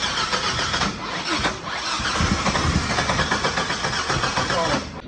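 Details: Engine-swapped truck finally running after the wrong fuse box was replaced and the fuel system held pressure: cranks briefly, fires and settles into a steady, even run with no misses or knocks. Normal start.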